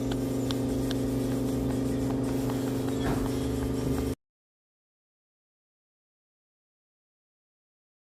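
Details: Chevrolet Aveo at steady idle with a constant whirring hum on top whose pitch does not change. Worn accessory belt pulley.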